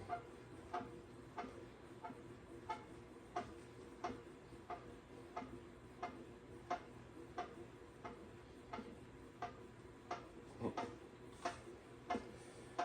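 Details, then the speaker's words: Pooboo stationary exercise bike after tightening cover screws: sharp squeak about once per pedal stroke, roughly 90 a minute; still squeaking, owner concludes not the belt, something else inside. "So it must not be the belt. It's got to be something else squeaking inside here besides that belt."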